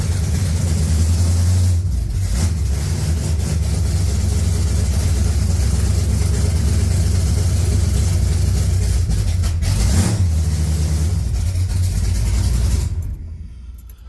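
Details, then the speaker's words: 1980 Pontiac Trans Am V8 after distributor install, head work and new TH400 build: deep steady rumble with smooth throttle blips, no top-end ticking or knocking; runs clean and healthy. "there's a little bit of spillage from doing the heads but uh yeah no valve training noise everything sounds looks good and it moves all by itself"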